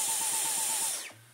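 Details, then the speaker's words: Dyson V11 cordless on medium, after cleaning: high motor whine surging and dropping about eight times a second like a machine gun, thumping vibration; won't spin up in min/med, works in boost; fix is motor replacement. "And like, you can hear, I don't think I can show you, but the machine is thumping a vibration."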